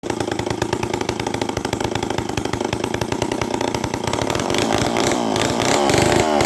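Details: Homelite 500 chainsaw, no muffler, first test run after carburetor rebuild with Hi and Lo needles opened 3/4 turn: loud raw two-stroke crackle firing steadily, pitch climbing slightly; runs clean and healthy.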